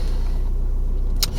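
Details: 2009 (58-plate) Ford Mondeo 1.8 Duratorq TDCi diesel (QYBA) at idle after fitting a replacement injector for a 1500 rpm misfire: low, even diesel rumble with steady beat, no skip or stumble; runs smoothly, misfire fixed.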